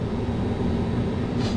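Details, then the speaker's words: Two-pipe fan coil unit whose auxiliary electric heat was not heating, run in heat mode with panel open, heaters burning off dust on first start: steady, even fan rush with low hum, no rattles or scraping; running normally. "but that sounds fine to me especially if you close up this panel I think we're gonna be good"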